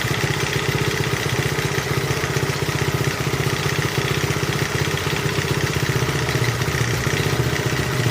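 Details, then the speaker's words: 1971 Honda CT70 being revived after long disuse, idling: a smooth, steady purr with light, fairly regular ticking about four a second on top. The valves need adjusting. "Just a purring along. Isn't that nice? Starting to hear the valves just a little bit, needing adjusting."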